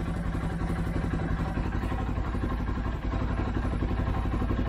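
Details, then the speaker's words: 2013 CFMOTO Z6 running after fuel pump change, air cleaner missing: uneven, lumpy idle with a loose clattery beat over a low rumble, struggling; the fuel pump is not putting out enough pressure, expected to improve as it warms. "okay you can hear we got it right got it running but that fuel pump is not putting out enough pressure"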